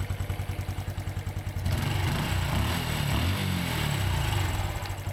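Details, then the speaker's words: Honda Wave 110i after a top-end check and clutch rebuild, now much quieter: light, quick, regular ticking over a smooth small-engine idle, then a rev blip. The ticking is the fuel injection system; normal injector ticking at idle. "so the ticking noise you hear is actually the fuel injection system ticking the actual"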